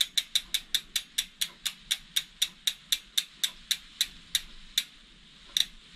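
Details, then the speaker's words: DT Swiss R470 rear wheel after ceramic bearing replacement: crisp, evenly spaced freehub clicks about four a second, slowly spacing out as the wheel coasts from a gentle nudge; running freely and smoothly. "I'm super impressed with the running of it. Just a gentle little nudge and it's running beautifully."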